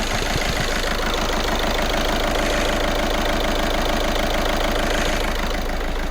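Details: Audi A1 diesel after replacing the faulty injector: steady, even idle clatter, about three beats a second, with no stumble or miss. Previously rough, it now idles smoothly with no fault codes.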